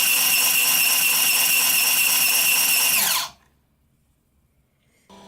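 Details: Prototype 3D-printed RC robot drive assembly, motor with belt and printed pulleys spinning very fast: loud high-pitched motor whine with strained steady tones then quick spin-down; belt slipping, tension loading the motor's front.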